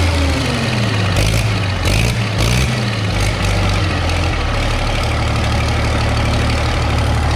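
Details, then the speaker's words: Case 930 diesel tractor after exhaust manifold patch repair, idling and blipping: sharp puffing chuff on exhaust beats; manifold gasket blowing out at number four cylinder top side, new gasket needed. "i've got an exhaust leak and i'm gonna have to put a new gasket on it and but what it's doing is blowing right out of number four here on the top side"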